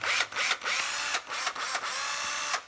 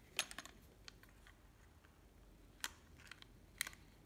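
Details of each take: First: 9.6V cordless drill, only its hook is broken: short bursts of smooth motor whine with quiet gaps, no grinding or clatter; runs very quietly. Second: Makita 12V drill-driver, bare tool: two short runs with a steady high whine and a thin squeal on top; dry gearbox, needs cleaning and fresh grease.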